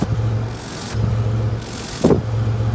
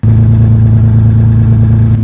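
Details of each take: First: 1998 Toyota Tacoma, 243,000 miles, idling after muffler replacement: low, steady burble with no rasp, puffing or hiss from the hole or the new muffler; exhaust sealed and quiet. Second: 1998 Toyota Tacoma, 243,000 miles, idling in a closed garage: deep, loud, steady idle with a heavy low throb. Rusted-out muffler leaking exhaust up through the bed, rusting the metal.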